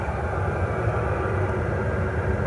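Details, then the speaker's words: Cheap Chinese diesel shop heater after a year of use, running after a muffler was fitted, exhaust still not run outside: steady even low rumble, no screaming or surging, much quieter than before; normal quiet running. "Remember how this thing was screaming before? Hopefully it sounds as quiet as it actually is because it's pretty good. I don't have a decibel meter thing, but it's fairly quiet."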